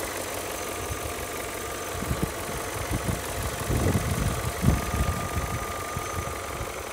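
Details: BMW E39 M5 V8 at idle after oil change and replacement of oil separators and upper hoses (done for black exhaust smoke): light, irregular rattle over a steady hum, no heavy knock; judged its normal sound.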